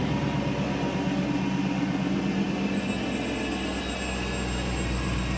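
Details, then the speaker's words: 2020 Dodge Charger Pursuit AWD with Hellcat-supercharged 5.7L V8, restarted after priming, cooling system still to bleed: lumpy V8 idle with thin high whistle, a vacuum leak before the sensor that the engine management tolerates. "How does that sound? Vacuum leak. Yep. So that's okay. It doesn't care about that."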